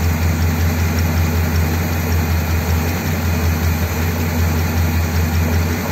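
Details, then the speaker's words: 1957 Ford Thunderbird V8 with the original carb parts refitted, despite fouled plugs: steady, low idle with a gentle, even lope and no misses or knocks; the best it has run for ages. "okay that sounds pretty good to be honest considering all the plugs have been fouled"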